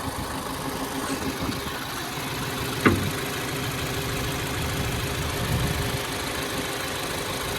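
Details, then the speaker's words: 2015 or 2016 Mazda 3, idling with the check engine light blinking and codes P0302/P0300; steady but slightly rough idle with a faint uneven stumble, cylinder 2 dropping out. "scanner say we have a cylinder number two misfire"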